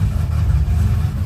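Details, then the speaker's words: Z4 with new custom-built exhaust: deep, uneven loping idle with stumbling beat, sharp harsh detonating sound; seems to be missing two cylinders, dies when throttle released; misfire. "But it sounds sharp but very detonated. Yes. >> It sounds really harsh, dude."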